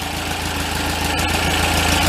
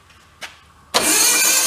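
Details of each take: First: Untested 2275cc built air-cooled VW Beetle-style flat-four, stored 8 years, warming up at first runs with carburetors not yet synced: steady, smooth idle with light rhythmic patter, no misses or knocks; normal idle. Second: Untested built 2275 cc air-cooled VW Beetle-style engine, stored 8 years: short crank, then it catches with a loud rough roar for a second and dies; ground wire suspected to have fallen off, not confirmed.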